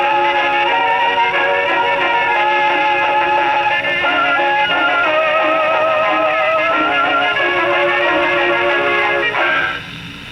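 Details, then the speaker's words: Rebuilt HMV No 4 reproducer tested on Victrola VV-50; owner reported distortion and buzzing, isolator gasket shaved, cause not yet found, may be intermittent. Clear, steady record playback with no buzz or rattle on loud passages: normal phonograph playback. "There you go. Still sounds good."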